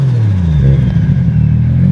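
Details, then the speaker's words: Car previously missing on one cylinder, after replacing a faulty coil pack and fitting BKR7E spark plugs: deep, even idle with a steady low hum, no stumble or dropped beats; all cylinders firing normally again. "oh thank God it sounds normal yes it sounds it sounds the way I wanted to sound you hear the difference this is the normal idle that I've been looking for"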